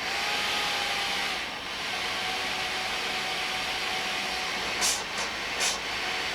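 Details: Philips DreamStation 1 CPAP after DIY removal of the recalled foam, powered up and run at full blast: a steady airy hiss with a faint even whine and no rattle or buzz; the blower runs normally.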